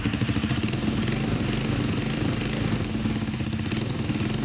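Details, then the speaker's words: Single-cylinder motorcycle idling evenly after a valve adjustment, with a sharp, rapid puffing chatter from an exhaust leak; the engine itself now runs smoothly, and the earlier piston-like rattle was traced to the valves. "este ruido desde el escape le dejó escapar el aire por ahí"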